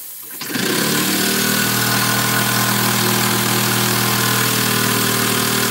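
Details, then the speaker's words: Small model steam engine running with steam leaks: steady loud hiss over even chuffing about four beats a second; steam escaping around the engine. "I think we've got more leaks"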